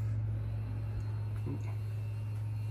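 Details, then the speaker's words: 2005 Porsche 911 Carrera S (997.1) with freshly assembled engine, fuel pump relay activated via PIWIS to drain old fuel from a half-full tank: steady low hum at one even pitch, no stumble; in-tank fuel pump running normally. "definitely hear it something is happening oh heck yeah fuel is chugging out of that thing it is moving moving pretty fast awesome"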